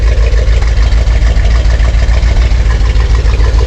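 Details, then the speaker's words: 1971 Corvette convertible under restoration, V8 idling right after timing set with timing light: deep even rumble, pulses about three and a half per second, no misses or knocks; sounds great, clean healthy idle. "all right we got our time now and that's what she's supposed to sound like"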